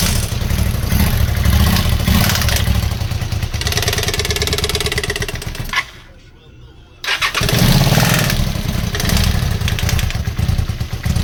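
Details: Honda VT250F with a used contract replacement engine; loud uneven running with a fast rapping knock under the exhaust beat; engine knock, cause not yet known.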